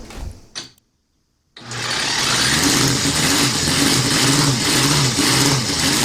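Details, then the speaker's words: Home-built 125cc-or-less four-cylinder engine (for a Honda Monkey/CD125four project) on its first test run: a short gap, then it catches and holds a quick, even four-cylinder beat at steady speed; running cleanly. "Bây giờ động cơ đã khởi động, chúng tôi đã sẵn sàng để cài đặt nó trên xe."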